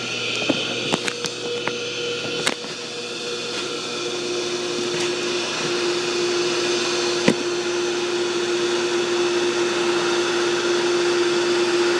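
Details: Pool pump motor running: a loud whir with a high whine and some early rattly knocks. The owner suspects a failing shaft seal, bearings or bushings, possibly from the pump running dry. Not confirmed.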